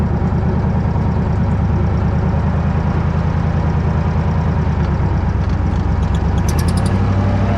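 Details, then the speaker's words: Old Bobcat 600 skid-steer under load, leak worse when warm: loud rough pulsing with a sharp puffing chuff each firing stroke; owner hopes exhaust gasket leak but fears a blown head gasket or cracked head again. "doesn't leak as bad as when it gets warm but if you put it under a a load it'll it'll definitely you can hear it"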